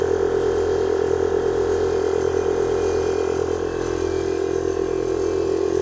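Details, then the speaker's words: 1998 Chevy Blazer air-ride compressor, newly wired: steady buzzing motor hum with an even pumping pulse, about three a second, filling the tank normally; it kicks on at 90 psi and off at 115 psi within seconds despite a leak. "There it goes. It kicks on at 90, it kicks off at 115."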